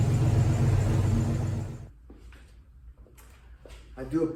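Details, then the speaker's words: 1983 Ford Mustang GT junkyard-rescue V8 with 4180 carburetor at idle; uneven lumpy beat with repeating stumble, spark plug number one fouled out: misfire from fouled spark plug. "spark plug one is fouled out"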